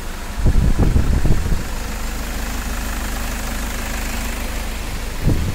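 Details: Toyota Fortuner diesel after repair of knocking, white smoke and hard starting: a few throttle blips, then steady even idle with no stumble, misfire or knock; normal idle.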